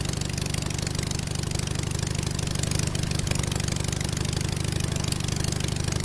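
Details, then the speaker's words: 37 HP half-VW 1037cc cut-case Hummel airplane engine, Tennessee 54x20 propeller, on test stand in cold about 30°: even fast low thumping about three beats a second, no misses or knocks; runs smooth. Normal running. "it runs pretty smooth but I was really afraid it was going to shake or who knows what when started it up but so far this whole Project's a success"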